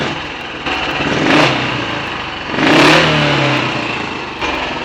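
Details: Royal Enfield 500 ASBO 36 single after top-end rebuild, ignition timing backed off slightly and carburetor throttle stop and mixture screws adjusted, warm: two crisp throttle blips rise and fall cleanly, then back to steady tickover; healthy and well set.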